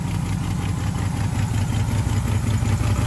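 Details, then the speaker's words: Third-gen Pontiac Firebird V8 first start after winter storage: low, lumpy idle rumble with a faint, fairly regular light tick; owner suspects a loose valve on the left bank, valve cover removal planned. "hear that nice valve tick. I think the valve on the left side bank is a little bit loose."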